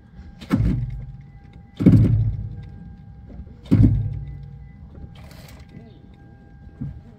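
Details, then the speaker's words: Toyota jacked up in garage, engine off, cold, wheel turned by hand: three heavy booming clunks a couple of seconds apart as it turns. The upper strut mount was corroded and seized and popped under load, not the steering shaft as first thought. "it was so corroded in there that uh you know it just kind of it made those huge pops and and booming noises"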